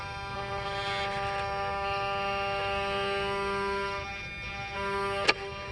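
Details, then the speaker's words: Mercedes repaired V12 throttle bodies and E-gas tested on an S600 (140) test car, key on: a smooth, steady electric hum as both throttle actuators cycle through learning, one sharp click near the end, healthy operation; the engine is cold. "So as you can see, they make nice healthy sound, and biggest thing now is the actual idle speed."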